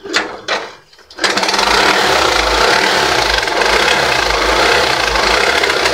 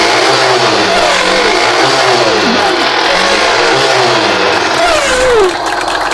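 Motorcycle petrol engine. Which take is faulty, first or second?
first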